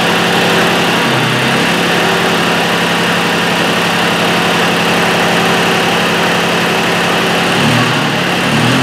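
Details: Mitsubishi Satoh S470D Buck diesel tractor idling after installing a new transmission/hydraulic screen filter, new fuel lines and fuel filter; steady, even clatter with no knocks or misses, though owner feels it's not running just right and may crack injector lines.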